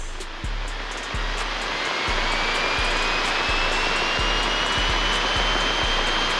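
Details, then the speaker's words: Light aircraft piston engine run-up to 1800 RPM with mixture full rich, oil temp and CHTs in the green: steady full-bodied roar, no misfire or roughness; healthy run-up. "Mixture, we're gonna go full rich, and throttle run up to 1800 RPM."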